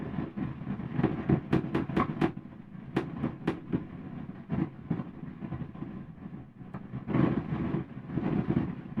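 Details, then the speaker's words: Pioneer SX-838 receiver, phono mode, preamp board tapped with a spudger: each tap sets off crackly pops and rumbling bursts through the speakers; microphonic preamp transistor, confirmed with cold spray, replaced with 2N3906. "ah there's my noisy boy right there that's Noisy Boy it's what we call a microphonic transistor"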